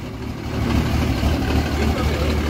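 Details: Hotshot diesel pickup at idle, oil leaking down the side, valve cover gasket being ordered, cleaner to be added: idle swells and sags in an uneven lope instead of a steady beat; rough idle, cause not pinned down.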